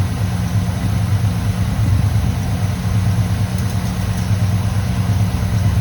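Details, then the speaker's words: 1985 GM square body truck V8, just restarted after sitting at least 10 years, cold on choke: a smooth, even idle burble with no ticking lifters or misfires. It sounds healthy, and the mixture is to be adjusted once warm. "we'll see as the engine heats up if it opens up sounds beautiful once it warms up a little bit I'll adjust the mixture"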